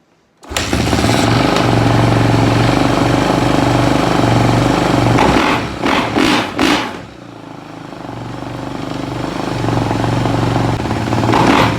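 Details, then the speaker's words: Kawasaki KX450F after a long no-start issue, loose fittings tightened, cold winter start with choke/high idle out after priming kicks: catches first kick, crisp steady thump, brief rev blip, settles to idle; runs healthy. "Well, I'm killing it because it's going to bleed oil out if I don't, but that's what we've been looking for. Well, guys, it starts and runs."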